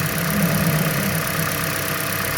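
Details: 2013 Toyota Prius hybrid in the shop for a customer complaint of violent knocking/misfire on start-up; pending P0300–P0302 codes. Even, settled idle with a smooth low hum and no knocking or ticking; the concern could not be duplicated and no head gasket leak was found.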